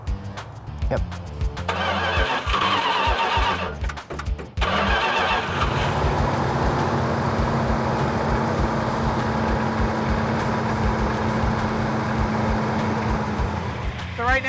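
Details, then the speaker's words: 340 V8 after sand contamination and repair work, break-in run: cranks, catches near 4.5 seconds, settles to smooth even running; vacuum leak apparently cured, to be run near 2,000 rpm to warm up. "It sounds like it's running a whole lot better. Sounds like we might have got rid of our vacuum leak, so we're just gonna run it up to operating temperature, about 2,000 RPM."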